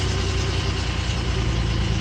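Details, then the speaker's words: Engine after a crank-no-start was fixed at the fuel pump relay: steady, even idle with a smooth low rumble and no misses or knocks. It is running normally. "so what we did is we came and looked directly at the fuel pump relay and since it was the relay fixed a problem and now we're all done"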